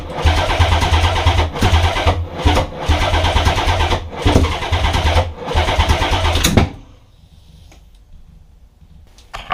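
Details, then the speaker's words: Nissan 300ZX twin-turbo, start attempt after injector and coil pack work, intake piping still off: steady cranking about six seconds with uneven firing pulses, nearly catches then stops; owner suspects the missing piping. "But yeah, attempt to fail, but it wanted to start."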